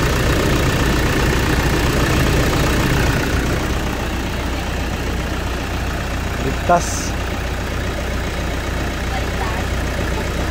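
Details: 2008 Toyota Fortuner diesel, just started after replacing the pinched suction control valve O-rings that caused the crank-no-start (a shop had blamed the pressure pump). Steady idle with an even clatter, no hunting or misses; sounds healthy.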